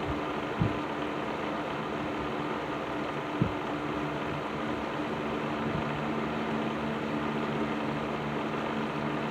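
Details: Patton 12-inch box fan with black Patton-branded Fasco motor, serviced, on low speed in a window: soft steady whoosh, faint even hum, occasional light tick; slight leftover rattle, far better than before, running normally.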